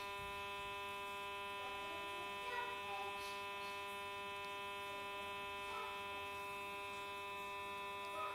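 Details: Samsung J2 phone after disconnecting from a call: constant high-pitched electronic buzz over a steady hum with no rhythm change; cause unknown.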